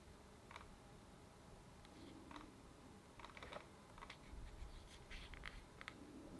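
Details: Sigma 105mm DG DN lens on a Panasonic S1 chirps in S, A or P mode whenever the camera is moved; it stops in M mode, MF, with exposure locked, or with Quick AF off.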